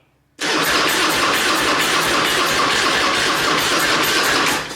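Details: Harley-Davidson Anniversary Road King V-twin on its first start attempt after being put back on the road: fast, even starter churn for four seconds that never catches or fires. It cranks but won't start; the fuel is very low and plug-wire routing is being questioned.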